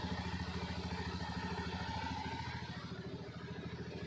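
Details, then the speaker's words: Honda Scoopy FI after repairing rat-chewed wire to the ignition coil that caused no spark: even, steady low idle putter with no misses or stumbles; running normally. "oke teman-teman karena motornya sudah normal kembali ini kita tinggal rapikan aja nanti"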